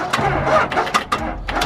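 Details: Dodge Ram 2500 Cummins diesel pickup, cold start after sitting all winter with dead batteries: a few uneven labouring cranks and stumbles that never catch and run, as flat batteries leave too little cranking to fire.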